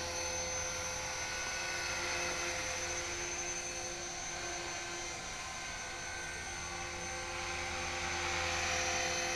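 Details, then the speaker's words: HK-450GT small electric RC helicopter after rebuild, gentle test flight at dusk, trimmed well enough to hover without touching the sticks. Steady high motor whine with even rotor thrum, no wobble or surging. Normal hover. "Whilst it had been down then that was just about well I wasn't handsree but I wasn't touching the sticks if you know what I mean. It's trimmed up pretty good"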